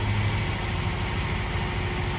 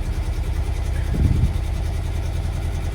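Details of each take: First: Lancia Flavia after carburettor jets adjusted, starts on the key without pumping the pedal: even, steady idle with a smooth low beat and no misses or knocks; engine sounds nice and smooth, normal idle. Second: Classic Lancia Flavia under restoration, baseline start with the air cleaners removed before carburettor tuning with airflow meters. Uneven, lumpy idle with an irregular low thump and a brief stumble; the carburettors are out of tune.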